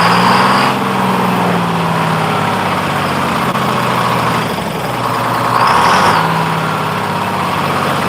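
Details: 1948 GMC Silversides Greyhound bus, freshly in-frame rebuilt Detroit 6-71 two-stroke diesel on restart. Revs and sags slowly, idle sitting high and hanging up; owner says the governor buffer screw needs readjusting, unsure why it changed.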